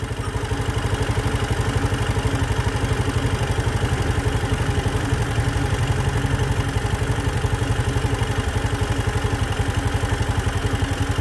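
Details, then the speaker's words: Fuel-injected vehicle at about 62,000 km, after its heavily carboned throttle body was cleaned and the idle screw turned clockwise to lower a high idle: slow, heavy, slightly uneven putting at about four beats a second, near stalling; idle set too low. "yung malapit na mamatay Syempre i-stop na natin then bawi lang ng konti yan mababa na para na siya mamamatay"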